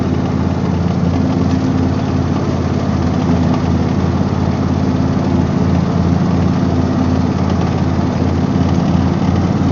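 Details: Husqvarna YTH24V48 48-inch riding mower: small engine running steady with a loose, uneven rattle over a low throb; owner suspects a failing bearing despite greasing all points.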